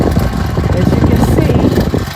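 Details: New, undropped fan on medium and low settings (fine on high): rough, uneven low rumble like a small engine instead of a smooth hum; sounds broken; abnormal fan motor rumble.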